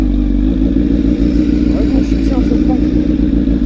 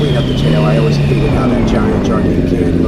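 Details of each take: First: Honda CBR1000RR with undertail exhaust, noticed sounding wrong while riding and getting worse: uneven, chuffing low rumble with raspy popping at idle, louder and harsher than stock; the top of the muffler was found blown out, an exhaust leak. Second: Honda CBR1000RR with custom over-tail exhaust fabricated from an old can: steady deep drone, smooth even pitch shifting a little with throttle, no rattles; healthy exhaust note.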